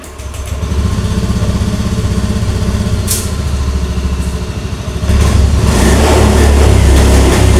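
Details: Honda Beat FI scooter that sometimes wouldn't start and kept stalling, tested with the side-stand switch bypassed: it starts, holds a steady, even idle, then picks up cleanly when revved, with no dying or stumbling.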